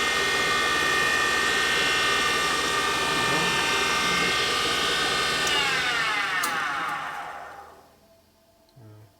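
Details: 1979 Harley shovelhead 80ci engine rebuild, valve refacing machine: high grinding whine with a fast regular chunk-chunk chatter, about four hits a second, as the stone catches a high spot on the valve face.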